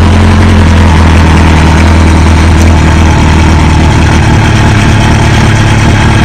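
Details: 2005 Kawasaki ZX6R 636cc fuel-injected engine from a wrecked bike, intended for a mini buggy, on its first start with the oil half-full. It holds a steady, even idle with a smooth low beat and no knocks, ticks or misses, and sounds healthy.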